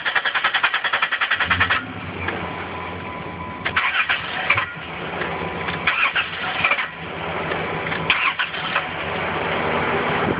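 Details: Engine cranks quickly and evenly for nearly two seconds, then ragged uneven sputtering that never settles into idle; gas pedal pumped, no codes found, started the day before. Crank no start.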